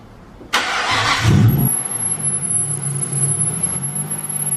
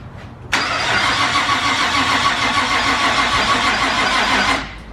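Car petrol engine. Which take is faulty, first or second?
second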